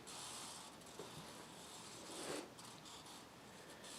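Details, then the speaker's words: Casablanca California Zephyr ceiling fan at speed four: steady rough grinding hiss with scratchy surges, moaning and groaning; worn motor bearings, and the flywheel also appears significantly warped. "for speed four as you can hear the bearings are moaning and groaning aching and itching making a crap crap load of noise"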